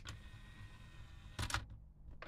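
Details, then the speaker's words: Denon DRR-M30 cassette deck after a simple fix and belt replacement: low steady motor hum, then two short bursts of whirring and clicking as the transport cycles; the mechanism works normally. "Right, and that is how that mechanism works."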